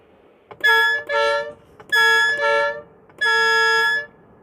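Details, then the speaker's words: Air horn broken after being knocked down by a door: three short blasts with a reedy, unsteady tone, sounding worse than before. "В общем похуже уже гудит у сломанная что поделаешь"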